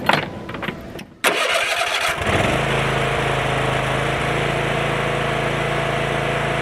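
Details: Kohler 7000 series 24 hp twin that ran on one cylinder, after rodent-damaged wiring repaired and coil confirmed working, throttle wide open: cranks, catches and settles into a steady, even high-speed drone with no surging or stumbling; normal full-throttle running.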